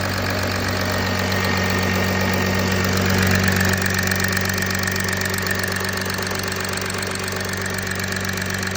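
Steady cold-start idle with an even, fast ticking layered over a low hum and a faint whine; the cause isn't clear.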